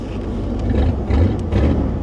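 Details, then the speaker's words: 1983 Mercury Cougar 5.0 V8, carbureted, started with a screwdriver after drilling out the ignition; runs well but uneven puffing rasp in the exhaust note, suspected exhaust leak, possibly missing catalytic converter. "It runs perfect. Listen to it. I need an ignition switch. It's probably like $15. I hear an exhaust leak."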